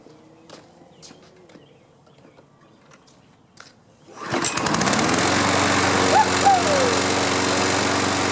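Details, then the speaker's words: Toro Recycler mower, Briggs & Stratton engine with automatic choke, after draining old fuel and cleaning clogged carburetor (previously hard start, ran rough, quit): few clicks, catches first pull, smooth even steady run. "we drained the gas tank took the carburetor off took it all apart cleaned it put it back together and she starts on a first pull"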